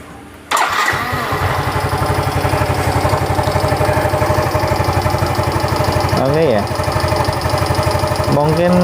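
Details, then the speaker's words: Yamaha Mio M3 125 that once ran out of oil, burning oil, CVT cover removed: after start a quick even knock at about four per second from front of engine; suspected piston, possibly con rod; worn bore found. "ada suara saya guys dulu tuh terasa di bagian depan sini ya kayak di bagian pistonnya tapi tidak akan menutup kemungkinan itu di bagian stang piston tapi kayaknya berasa banget di bagian pistonnya"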